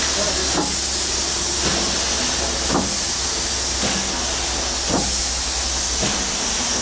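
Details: 1895 Bates Corliss steam engine, 14" bore x 36" stroke, 10 ft 9000 lb flywheel, first start in 80+ years on about 50 psi: sharp knock about once a second per turn over steam hiss; connecting rod bearing needing adjustment.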